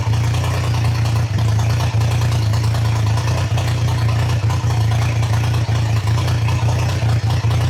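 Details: Triumph Trident T150 triple, first start, choke open, idle screw wound up, carbs not yet adjusted: fast droning tickover with small occasional dips in the beat; owner notes the recording sounds stranger than in real life.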